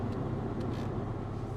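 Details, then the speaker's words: Salvage BMW X5 V8 at an auction yard, airbag light flashing and tires bad: even, steady low idle with a smooth V8 burble and no stumble; the engine is now running cleanly. "i don't care about the airbag light listen how smooth she's running now"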